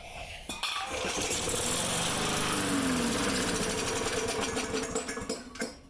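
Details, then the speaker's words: Lawn mower after carburetor reinstalled, check valves squirting gas; catches and runs rough with uneven rapid putter for a few seconds then dies; starts then stalls, gasket to be replaced. "If you remember, or if you just saw it, saying my friend called me and she said her lawnmower quit working, it starts and then immediately dies."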